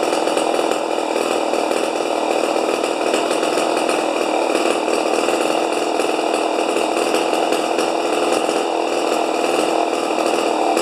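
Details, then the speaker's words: Rebuilt 50-year-old 100cc Homelite XP 1020 chainsaw, wide open: sustained flat screaming run without four-stroking burble; max about 10,500 rpm versus the 9,000 rpm book limit; over-revving. "oh oh all right it says it says on the books under uh chain interest chainsaw interest or something like that 9,000 RPMs are the highest as it should go"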